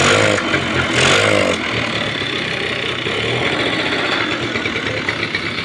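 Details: 30-year-old TVS Scooty ES scooter after fixing its starting problem by refitting the spark plug; self-starter and battery are bad, started with the key on. Small engine settles into a steady, even putter after starting, with no misses or knocks; running normally.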